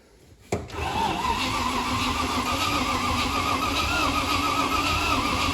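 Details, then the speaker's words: Long-stood 3.9 Rover V8 in an old 4x4 winch challenge truck, starter solenoid stuck on, brake clean sprayed in. Starter spins the V8 at a steady rhythm without firing: cranks but no start. "She's trying. You stop it a minute. We're not going to run it too long on the starter like that in one go, because it has been stood for a long time."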